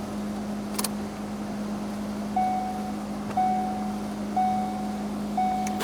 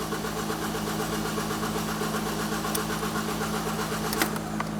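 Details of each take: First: 2016 Ford Focus SE 2.0L automatic after new high pressure fuel pump: several short electric buzzes about a second apart as the in-tank pump primes with key cycling, then engine cranks, catches and runs smooth and even. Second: 2016 Ford Focus SE 2.0L automatic, fuel pump fuse removed to depressurize before high pressure fuel pump replacement: steady starter whirr cranking at even pace with no firing after it ran out of fuel.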